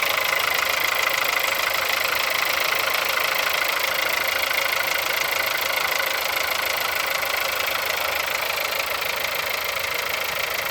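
Cold idle with a quick, regular metallic knock, about three a second, standing out clearly over the engine; the source is undetermined.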